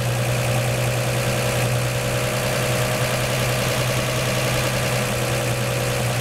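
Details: 1949 Chevy 3100 idling after swapping its Pertronix Flamethrower distributor advance springs to high-range copper for earlier mechanical advance; smooth, even low rumble idling slightly high, seemingly from the added advance, no misses or knocks, seeming to start easier.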